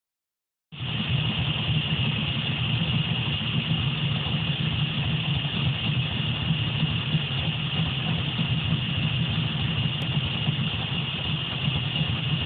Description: Timing light with RPM and a vacuum gauge while 1970 Camaro Idles with a possible vacuum leak